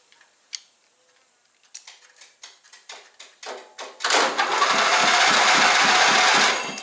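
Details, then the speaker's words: John Deere Sabre lawn mower after blown fuse replaced and bad new key switch swapped back to the old one: clicks turn into quickening cranking strokes, then catches and runs at a steady buzz; starting circuit works. "My key switch I had was bad, so I put the old one back in quick and saw that a screwdriver turned it, and now"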